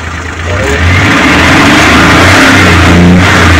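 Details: Suzuki Multicab F6A engine that would not start, after cleaning the distributor and overhauling the flooding, clogged carburetor and adjusting the float valve: engine catches and climbs smoothly into a strong, even rev with no misfire or stumble.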